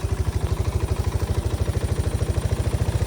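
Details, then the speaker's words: Cold start on an oil-leaking single-cylinder machine with a suspected cracked crankcase: loud low uneven thumping, about three pulses a second, running rough and idling high with smoke from oil burning off. "Not great. Random smokage. Looks like some oil burning off."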